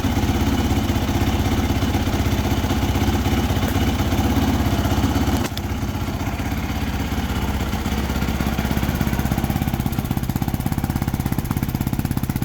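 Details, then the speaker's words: 2006 Yamaha YFZ450 quad, previously smoking with suspected loose piston rings, after fitting a new cylinder: steady even single-cylinder idle with crisp exhaust pulses, no knock or rattle, and no more exhaust smoke. "all right sounds good uh there is no smoking coming out of the exhaust again so I think we're we're all set that new uh cylinder worked great"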